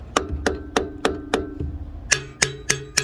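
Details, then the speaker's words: 1969 Lincoln Continental Ford 460 V8, sitting 12 years: hammer taps on a mostly stuck intake valve (two of five bent-pushrod intakes freed, still a little tight); harder taps ring with a clear ping. "So that one's mostly stuck. If I hit it harder, then you can hear the little ping."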